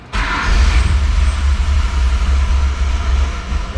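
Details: L67 engine in a drift ute, first start on a newly wired push-button start switch panel, in neutral: catches almost at once and settles into a deep, steady rumble with rising revs, starting and running cleanly.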